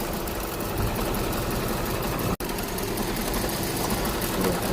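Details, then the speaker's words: Hyundai Grand i10 petrol engine idling unevenly with a lumpy irregular beat and heavy vibration, check engine light blinking; scan shows P0300-type multiple cylinder misfire code. "बहुत ज्यादा vibrate कर रहा है। और dashboard पे check light blink कर रही है।"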